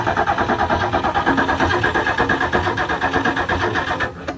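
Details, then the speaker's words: 1970 Mustang with freshly installed engine, long-sitting, being cranked on a start attempt: even starter churn about three beats a second with a faint cough, then stops; cranks but won't fire, weak battery suspected, cause not confirmed. "oh well it coughed a little so there may be a little spark there we ain't got enough something"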